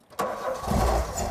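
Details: 1988 VW Golf Cabrio GTI: catches sharply and revs briefly on brake cleaner sprayed into the air intake, then falls away and stalls. A fuel delivery problem is suspected, and the tank, pumps and pipes were later replaced. Engine starts then stalls.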